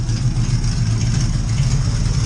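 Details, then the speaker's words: Oldsmobile Cutlass with rebuilt Edelbrock carburetor, not yet tuned: idle pulses unevenly, wavering and lumpy; running rough, needs carb tuning. "it's not running that great but i mean it's running so uh that's it for now guys"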